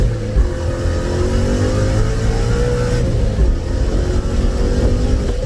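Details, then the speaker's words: Vortech V3 supercharged 2019 Mustang (about 10 psi) with stock cat-back and resonator delete, new MBRP X-pipe, merging at 90 mph: deep steady exhaust rumble with no raspy rattle. Normal exhaust note. "it might sound raspy on video but when it comes to real life it actually sounds pretty damn good it's stock cat-back with a suitcase delete"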